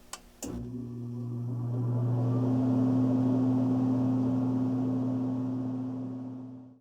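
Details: HVAC AC unit after replacing the motor run capacitor: it kicks on cleanly with a steady low hum and even fan rush, runs smoothly, then winds down; a normal, healthy start and run.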